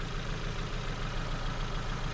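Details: Ford Focus after crank-no-start, plugs changed with customer-supplied faulty parts: uneven, lumpy idle with stumbling pulse; scope shows erratic ignition, no reading on cylinder two, misfire from faulty spark plugs.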